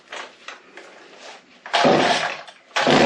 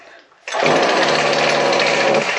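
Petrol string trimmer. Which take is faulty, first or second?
second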